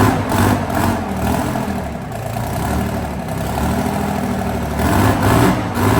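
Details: Abbot heavy diesel engine in the workshop for repair: rough running with an uneven thumping beat about twice a second. Abnormal engine noise; afterwards a part was found snapped off the side of the engine.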